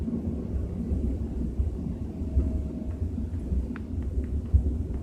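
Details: BMW 320i with a soft, irregular low rumble droning under light road noise at 30–40 km/h city speed; source can't be pinned down.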